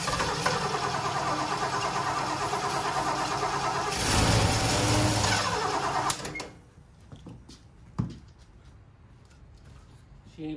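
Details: Ford 460 big block in a 1976 Lincoln Continental, 41,000 original miles: catches and runs rough a few seconds, then sputters and dies; fuel starvation.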